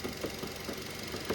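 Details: Nissan Note with no service record; even, quick idle pulses with a light steady tick and no misses or knocks. Ticking over smoothly.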